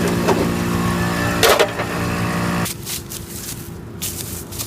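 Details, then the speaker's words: Budget air ride compressor after cleaning corrosion and fixing a bad ground that had stopped it working: steady even electric motor hum with a buzz for a few seconds, then clean cut-off; compressor running normally. "so there we go everything seems to be working that fellow compressor running pretty cool"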